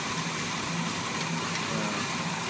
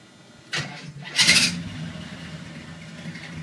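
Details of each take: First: 1981 Chevy K10 V8 with a junkyard Quadrajet and new valve seals, still slightly cold: steady soft idle with an even low rumble and no misses; runs great but still a little rich, mixture needs adjusting. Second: 1981 Chevy K10 on a cold start after running the night before: a short, harsh whirring grind as the starter engages, then a steady idle. The owner suspects the starter needs adjustment; not confirmed.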